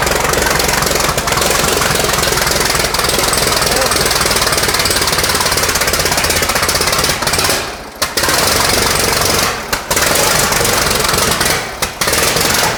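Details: 1917 American LaFrance Special, restored engine on its first start after installation: loud, hard-edged rapid clatter running strongly with a few brief dips, firing cleanly; normal running.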